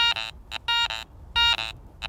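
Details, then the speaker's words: Garrett ACE 400i metal detector bench test with iron discriminated and Iron Audio on: a bottle cap gives short choppy tones broken by low gruff grunts beside clean beeps, the iron warning of a bad target. "But if I put on my iron audio feature now I'm getting some of those grunt sounds, that iron flanking sound,"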